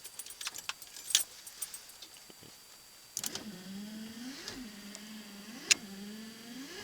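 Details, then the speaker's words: 1991 Ford F-150 wiper motor after a soldered repair of a fault where only high speed worked, now on low speed after key jingle: a low hum rising and falling evenly with each sweep. Wipers working normally. "I slded everything back together I haven't slded in years so but I got it back together works works like a champ"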